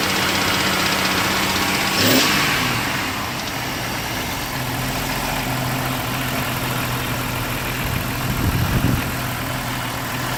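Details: 1998 Jeep TJ Wrangler with a 4.7L Summit Racing stroker, reportedly 50k miles, pistons replaced but not wrist pins: idles then blips with a light metallic rattle riding the revs; owner suspects wrist pin or piston slap, undetermined.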